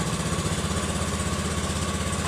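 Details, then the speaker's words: Honda Beat FI injected scooter that previously would not run, brought back to life after checks of 12 V supply and ECU. Idles with a steady low hum and pulsing drone; runs, but the droning is still there, cause unidentified. "Dia bunyi ini. Tapi bunyinya masih dengung. Mau kan dia hidup."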